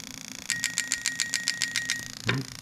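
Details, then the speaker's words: Lexus 1UZ-FE non-VVT-i (1992–94 LS400) engine harness built for an IS200, tested on a half-cut at low RPM, camera close to the injectors: crisp, even ticks about seven per second. Normal injector clicking. "Okay, so we got it on quite a low RPM, so you can hear them clicking distinctly."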